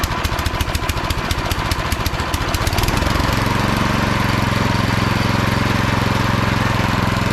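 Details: Craftsman snowblower model 247.889571, about 10–12 years old, previously would not start: a few rough pulls and sputters, then it catches and settles into a steady, even single-cylinder run. Normal running.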